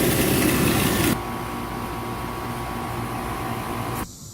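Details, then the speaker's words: Newly installed outdoor AC condenser replacing a unit whose compressor had locked up, drawing six to seven amps over nameplate: steady even hum with insects buzzing nearby, no rattles or strain; new condenser runs quietly and normally. "I think that Chicanos the Chiquita's or whatever you call more are noisier than the unit this thing's burning like a kitten yeah it looks pretty good that really is a cute little unit"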